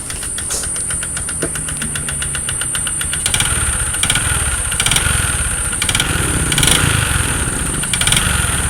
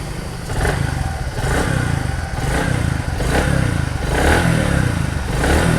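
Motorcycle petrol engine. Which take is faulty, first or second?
first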